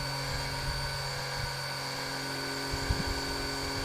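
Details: Small electric oil extraction pump draining engine oil during a DIY oil change: a steady high-pitched hum with an even whine and no knocks or surges, running normally.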